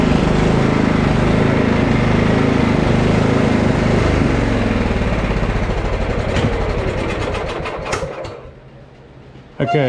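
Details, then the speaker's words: Husqvarna LT1538 with Kohler CV15S engine, before repair, quitting while mowing: engine pulses unevenly, speed rising and sagging; a little enrichment briefly clears it. Surging traced to a carburetor gummed by old ethanol fuel. "I still don't know if it's charging but I'm convinced that we're having a fuel issue usually hunting like that is a fuel issue"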